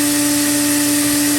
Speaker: Air relief at the top is still open. Hopefully it'll shoot out and it's not clogged, but I can't promise that.